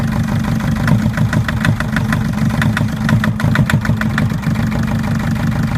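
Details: Mercedes Sprinter 904 with four-cylinder OM611 diesel: sharp metallic knocks, roughly four a second, hammer over a rough idle; knocking injector.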